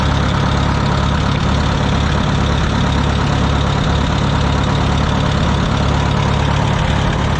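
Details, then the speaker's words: Wisconsin VH4D engine on a Bandit model 65 wood chipper, after repair, with voltage regulator issue being checked: steady, even low drumming at constant speed with no knocks, misses or rattles; engine running healthy. "but the only casual I had is the uh oil bath fell off but motor runs great got some cleanup to do motor runs great"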